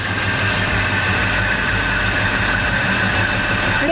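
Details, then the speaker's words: 1986 Chevy C10 V8 after sitting 7 years, first start with a new Edelbrock AVS2 carb and intake, timing not yet set: smooth, even low rumble with steady beat, no miss or stumble; idles much smoother than before. "It already sounds like it's idling so much smoother than it did before."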